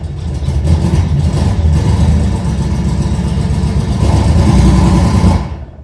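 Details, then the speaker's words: 1970 Porsche 911T flat-six starting up after engine reinstall: lumpy, uneven beat that never smooths out, doesn't sound like all cylinders firing; misfire. "up doesn't sound like all the cylinders but could just be this exhaust"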